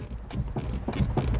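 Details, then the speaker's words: 1999 Honda CR-V, engine off, dry-park test rocking the steering wheel back and forth: dull, hollow clunks about three a second from a worn inner tie rod, with reduced right front wheel travel. "we can hear when i do this that there's quite a clunk i've got a gopro on the fender looking at the right front wheels travel and i can see that there's somewhat of a lack of travel and i can hear that noise from the tie rod"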